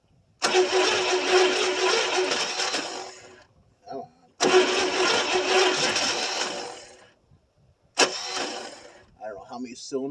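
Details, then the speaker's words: 1974 International 200 two-wheel-drive pickup with a 345 V8, seized engine freed after about 25 years parked: three lumpy, uneven cranking bursts with no firing; owner suspects one or two cylinders lack compression. "When it turns over, it almost sounds like it's got not any compression on one or two of them."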